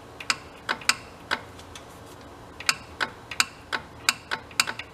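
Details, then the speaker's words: Big Joe personal electric man lift bought non-working, motor possibly burned out: sharp dry clicks in irregular bursts with no motor hum, a contactor pulling in while the motor never spins. Cause suspected, not confirmed. "Something's clicking."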